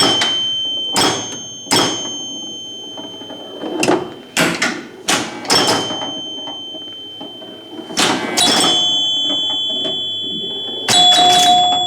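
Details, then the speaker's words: Rebuilt three-chime unit reinstalled in a 1974 Gottlieb Magnetron EM pinball during play: low, medium and high chimes (hundreds, tens) ring crisp and sustained at irregular intervals between ball and solenoid noise; healthy. "But just listen, you'll hear low, medium, and high. There's hundreds. Hear that 10 in there."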